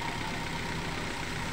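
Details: Toyota Avanza after a tune-up for shaking and unstable rpm: a smooth, steady idle with a low, even hum that holds constant with no hunting or shake.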